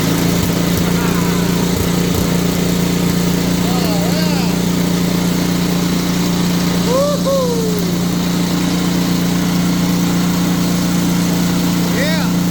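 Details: Simplicity two-stage snowblower single-cylinder engine after cleaning fuel line and adding fresh gas; steady constant-speed putter with no misses or knocks, healthy even idle.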